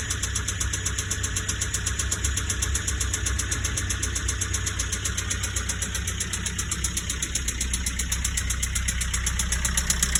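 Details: Nissan Qashqai J10 1.5 dCi diesel idling with harsh, regular metallic knock, white-grey exhaust smoke, little power, no fault codes; possibly full engine failure, sounds more top end than bottom.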